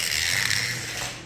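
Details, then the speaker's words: Digital slot car, a Viper, running fast on an oval track: thin high buzzing whir with a rubbery, rubber-band-like flutter; gear noise, owner suspects it needs oil or alignment, cause unknown. "sound some kind of gear noise this quick it's driving fast wants to wipe out on that turn but it has that horrible noise"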